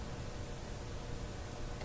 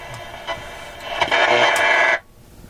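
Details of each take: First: Westinghouse 1398 AM/SW/FM tube radio after replacing three bad/weak FM-section tubes: steady, even FM interstation hiss with no station or crackle bursts, normal static of a working set; no reception yet, FM side still needs work. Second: Westinghouse 1398 AM/SW/FM tube radio, AM broadcast band on preset buttons after FM tube replacement: station bursts in far too loud and harsh, then cuts out; suspected missing AVC action, new magic eye not reacting to signal.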